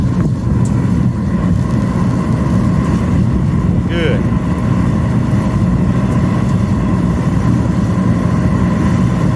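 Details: Master kerosene torpedo heater, troubleshot for E1 error shutdowns, after pump pressure was set correctly: pump, igniter and fuel come on and it lights. Loud, steady roar of burner and fan with no sputter, surge or pulsing; it is firing cleanly and running normally.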